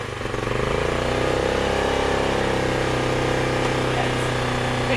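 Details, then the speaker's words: ETQ IN3500i inverter generator after a new ignition coil was installed, on a pull start: it catches within a second into a steady even drone with no misses and no smoke. It runs reliably. "okay guys so it's running it's running reliably which is the most important part"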